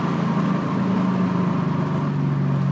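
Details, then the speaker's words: Infiniti Q45 V8 with hardwired Audi R8 coil packs and 3-inch intake reducer, under load: strong pull with ripping fluttery rasp; thin unshielded headers flutter as exhaust rushes past, distinct from weak-spark breakup. "And then the other sound is the actual exhaust header walls. They're thinner than stock."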